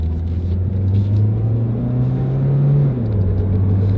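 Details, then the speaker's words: Front-wheel-drive car that is also burning oil in all cylinders, heard while driving: a deep, steady roar under the road noise that grows with speed, from both worn front wheel bearings. "as well at lowe's that means the front wheel bearings are going out too this is a front-wheel drive car pretty expensive job now as i drive it around i can tell both front wheel bearings are worn"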